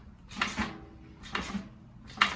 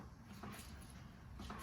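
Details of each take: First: RockShox Recon air fork on a mountain bike, under 500 miles, clicking or knocking when compressed all the way down: six sharp knocks about one per second at full compression, fixable with a service. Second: RockShox Recon fork, previously clicking at full compression, after fix: only soft air and rubbing sounds over two compressions, no click; fork now quiet.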